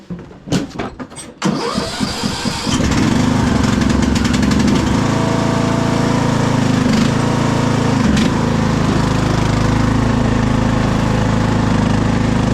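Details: Craftsman DLT3000 lawn tractor: after a few cranks it catches and settles into a steady, even low thrum with no misses or knocks; runs healthy.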